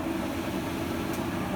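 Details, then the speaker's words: Whirlpool washer that would not spin, after recalibration and replacing the faulty rear switch: drum spins at steady speed with even hum, no knocks or scraping; spinning normally with full strength. "ahí está exprimiendo sin ningún problema sin ningún problema anabel tiene fuerza"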